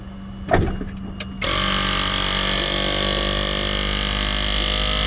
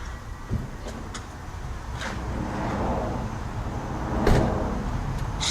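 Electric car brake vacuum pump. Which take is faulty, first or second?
second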